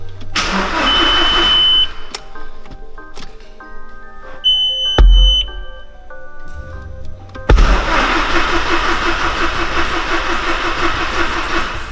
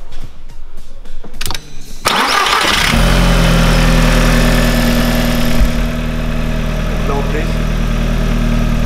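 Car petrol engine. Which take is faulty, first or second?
first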